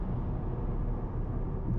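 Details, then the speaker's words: 2012 Mercedes-Benz CLS 550 4Matic test drive at 80 mph on the highway after wheel bearing replacement: steady low road rumble, no growl or rising hum; the earlier noise is gone, bearing quiet. "we already on 80 M an hour it's not feel not feeling no noise no nothing it's driving normal"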